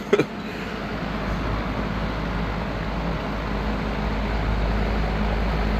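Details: Vintage Lakewood Country Aire C-720-3 three-speed box fan, Westinghouse motor (said to do better once warmed up): switch click, then steady airy rush with low even hum building slightly on high; running smoothly, normal.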